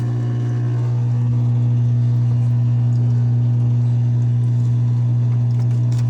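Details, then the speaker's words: Whirlpool washer WFW75HEFW0 showing an F3E1 error, run on drain and spin: steady low pump hum with water trickling and no strong gush. The pump runs but drains only slowly, leaving water in the tub. "You hear her draining, it's trying to drain. The washer is not draining the water. You can hear some of the water coming out."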